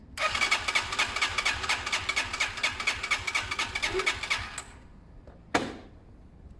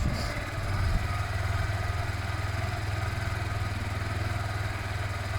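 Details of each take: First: Zontes Mantis 125cc small single during a one-day rebuild, choke on and fuel tap off: rapid uneven popping and spluttering, stalls and restarts rough, spitting through old stale fuel; engine spitting from old fuel. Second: Zontes Mantis 125cc small single after a one-day rebuild, warmed up before a test ride: even steady thump at idle with no misses or rattles, runs lovely; normal idle.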